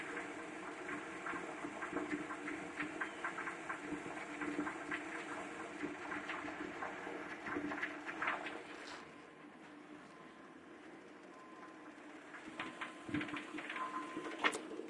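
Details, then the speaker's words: 1987 Chrysler Fifth Avenue with lean-burn carb, idle speed lowered by owner, tune-up six months earlier, warming up: lumpy, stumbling rough idle, shaking heavily in Drive, smoother with slight throttle; misfire, cause unknown. "I'm my foot on the gas a little bit it's gone smooth smooth put in Drive look at the engine shake like crazy"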